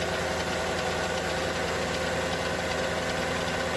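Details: Mercedes E55 AMG, M113K supercharged V8, cold start: fast, light mechanical clicking from the left bank cylinder head. It began after switching from 5W40 to 0W40 oil and from 95 to 98 fuel, and goes away after 10–15 minutes warm. Owner suspects hydraulic lifters or timing chain. Ticking on cold start.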